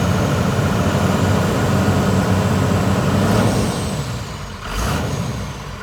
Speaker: Well, it runs, and it honestly sounds pretty good. I mean, it sounds like a 39,000 mile 12 valve should.